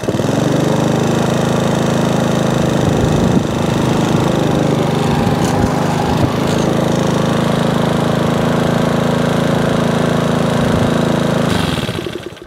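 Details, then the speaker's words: Sovereign lawnmower after service (spark plug cleaned, new pull cord, blade sharpened, drive working): steady even drone with no misses or knocks, wind gusts from an approaching storm over it; running sweetly. "the drive now works as well yeah it runs quite sweet what it is as i say they're not an expensive machine"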